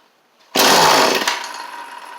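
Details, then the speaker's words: Cheap two-stroke equipment still on its old carburetor, with spring-assist pull start, pulled without choke: it bursts into life for under a second, then dies, firing briefly but failing to keep running. "It's more than nothing. That's good. So it wanted to that first time, just briefly. So it doesn't seem like that's going to work for us, unfortunately."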